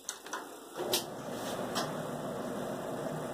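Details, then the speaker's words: Bosch WTVC3300US/10 electric dryer after reseating the motor under its slipped hold-down bracket. The hex drive shaft end had been rubbing the tensioner wheel. After a click it starts into a steady, even hum and drum rumble with no knock: running normally. "sounds normal whoo yeah we did it guys"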